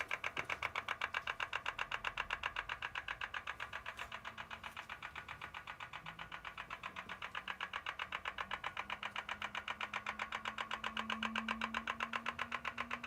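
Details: BMW M4 engine running quietly with crisp, very even light metallic ticking about four per second, origin unknown.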